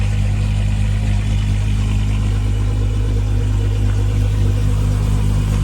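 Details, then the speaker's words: Mk3 Jetta VR6 Silver Arrow with a fresh engine and a rebuilt Vortech V9 supercharger kit: deep, steady engine note holding even with no misses or knocks and only light blips; a smooth, healthy idle. "sounds good [Music] [Music] foreign got the big fat wires on there oh it's a lot of polish on there yeah it's just uh you'll have fun getting it all back to where it's got to be if you've got time you're not rushing uh for the season I hate that feeling yeah sounds healthy"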